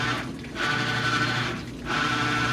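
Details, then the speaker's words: Maytag Bravos washer, second load after replacing the shift actuator (first small load ran fine), on Bulky Sheets, heavy soil, cold wash: steady droning hum with a thin high tone swelling and fading; owner unsure whether the new actuator was installed correctly. "Now it's making this terrible sound. What is this terrible sound? [Music] That does not sound good."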